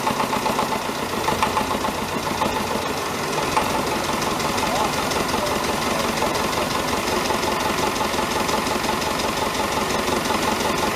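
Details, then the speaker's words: David Brown 1490 diesel tractor idling on its first run after an engine rebuild: an irregular heavy knock about two a second through the clatter. Owner suspects a fuel injection knock, unconfirmed; injectors are being reconditioned. "You'll hear that it has got a bit of a knock. I think it's a fuel injection knock."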